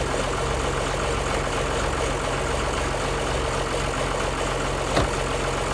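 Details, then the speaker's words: 1955 White (rebadged Oliver 1955) diesel tractor just after jump-start from a Land Cruiser ute: settles into a steady, even low chug with no knocks or misses; healthy idle after starting. "And you can see with a little bit of extra battery capacity just how quickly it came to life."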